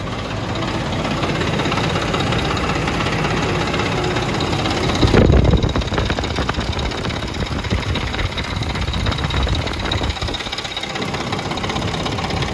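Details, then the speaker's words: Ford Expedition 4.6 V8 idling with a light busy rattle, loudest at the front right of the engine. "definitely louder at the front of the engine on the right side"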